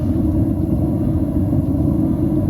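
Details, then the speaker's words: Atwood RV water heater burner in an Airstream after soot cleaning and air-mix correction: smooth, steady soft low roar with mostly blue flame, no popping, whistling or surging; burner firing cleanly. "that sounds smooth and it does sound smooth much happier with the way that sounds less of an explosion and less of that like popping and whistling sort of inconsistent sound it's like a soft Roar"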